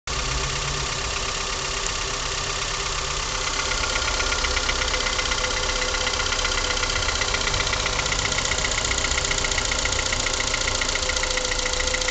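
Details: Honda Accord with F20B engine (CF4): steady idle with a crisp, regular metallic tapping in the upper range that keeps pace with engine speed; owner asks what could be knocking, source unknown.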